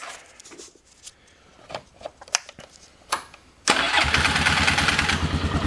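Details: Polaris Sportsman 500 ATV after pulse (trigger) coil replacement, case cover temporarily bolted: a few clicks, then engine catches at once and settles into quick even idle with no misses; running healthy.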